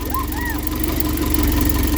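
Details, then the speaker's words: 1972 Triumph Dolomite 1850 automatic, first start after full ignition refresh (new coil, ballast resistor, electronic ignition module): even, rapid low pulsing four-cylinder idle, no misses or knocks; timing judged right, running normally. "but I thought it seems to be the way that's starting up and running it's absolutely lovely"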